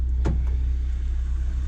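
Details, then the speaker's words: 1995 Honda Civic EG hatch, D15 engine, after replacing distributor for crank-no-start, warming up below operating temperature before setting timing: steady smooth low idle rumble, idle dropping as it warms, no knocks or misses; normal warm-up idle. "but we're warming up a little bit. What I'm going to do is I'm going to wait for the radiator fan to kick on. This way we know that we are where it's supposed to be. I just heard it drop down a little bit more."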